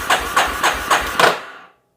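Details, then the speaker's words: 1988 Yamaha Terrapro ATV on a weak jump box, five slow laboured cranking strokes about three a second then stops without firing; no spark found; slow cranking, no start. "we are turning over a little bit slow with this jump box we're going to check for spark no spark no fire no nothing"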